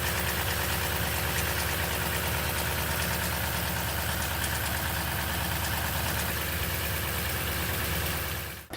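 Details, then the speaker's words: Toyota Sequoia V8 (2008-2022), after a cold start once the fan roar quiets and it begins warming up: a fast, uneven ticking rattle over the idle from the driver's-side ratcheting timing chain tensioner not pumping up fully. "it's when it quiets down and it's like about to start warming up is when you start hearing the ticking"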